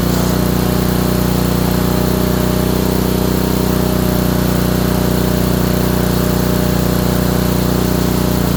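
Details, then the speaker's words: Honda small single-cylinder engine, probably a water pump, after ignition coil install; steady run, hard regular knock about three per second under exhaust note. Owner suspects bottom end. "Has a hard knock in there. Well, at the very least, it's running."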